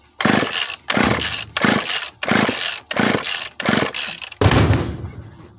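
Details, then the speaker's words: Craftsman 42cc chainsaw that only ran at full throttle: seven rasping cord pulls then one brief sputter, won't start; fuel not reaching the carburetor due to hardened fuel hoses, compression also low. "no aprende no prende no prende aquí qué combustible no está llegando al carburador sé que se fijan es por la dureza de las mangueras"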